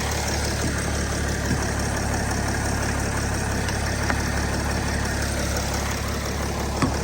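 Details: Engine idles steadily and evenly with a smooth low rumble, no knocks or misses, after being started with solid-state jump starter packs; the starter motor is faulty and still needs fixing. Normal idle.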